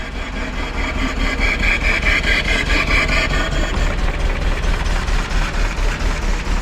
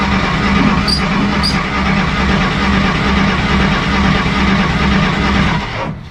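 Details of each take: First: 1953 Willys Jeep CJ-3B four-cylinder, first start after sitting, with rotor refitted: steady, even chuffing idle on full choke with no knocks or misses; running smoothly. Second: 1953 Willys Jeep CJ-3B, after sitting three years parked: fresh points and condenser, choke on, foot on gas; starter cranks steadily about two turns a second but never catches, fuel smelled, owner suspects spark too weak.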